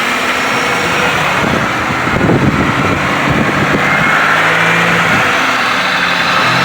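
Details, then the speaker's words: 2005 Pontiac Bonneville after cylinder head replacement with 2006 Grand Prix Series III heads (bigger valves) and new elbows: steady, even, smooth idle with no misses, knocks or ticks; engine healthy after repair, slight transmission fluid leak at cooler lines. "running so nice and smooth got some brand new pull elbows on there"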